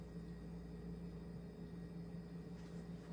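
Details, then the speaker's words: Restored Snoopy ceiling fan on high speed test: steady, loud low hum with an even whirring drone like a helicopter motor, no knocks or ticks, moving strong airflow; normal running hum. "that sounds like a helicopter motor's humming"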